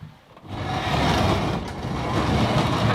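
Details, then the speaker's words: Newly DIY-installed garage door with spring tension not holding right: dry continuous scraping rub the whole time the door moves, no knocking; the cable drum is rubbing, and scooting the drum over slightly should stop it. "And I can just scoot that drum over a little bit and it'll stop making that noise."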